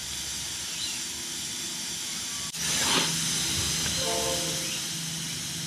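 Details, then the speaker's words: Air compressor pressure switch being adjusted: tank is leaking down after the cut-out was set near 7 bar, but the motor is not cutting back in; steady air hiss with a sharp click and no motor start. Owner wonders if the switch is sticky. "all right it's not coming on again so I'm just gonna slowly crank it up a bit until it does"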